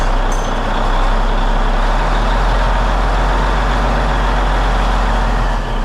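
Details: Peterbilt truck diesel, first start after cab refit with fresh fuel in the rebuilt tanks, warming up; steady, even idle with a deep rumble, no knocks or misses; clean and healthy.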